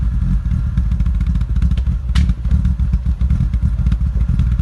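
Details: BMW E36 M3 3.0 with aftermarket exhaust: a deep, loud idle burble with uneven, stumbling pulses; rough idle attributed to unbalanced throttle body valves.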